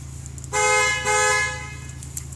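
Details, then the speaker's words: 2012 Ram one-ton Laramie, Cummins diesel, automatic: the panic alarm, pressed by mistake, gives two loud, even half-second horn blasts over a low diesel idle. "alarm not the button i meant to hit"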